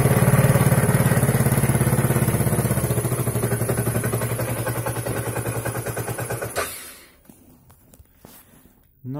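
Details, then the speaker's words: Daelim S2 125 Sport scooter, about 41,000 km, battery connected. The engine putters briefly, fades over several seconds, then cuts out abruptly. A closed port/spigot is to be checked or replaced; cause not confirmed. "i tak jest na chwilę odpali i taśmie"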